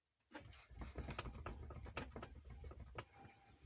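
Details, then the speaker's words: Lada Vesta tailgate, about 5000 km, shaken by hand: only dull handling thumps, no knock after removing a flashlight left inside the door trim that had caused the knocking. "ну теперь как мы можем убедиться в закон стука нету"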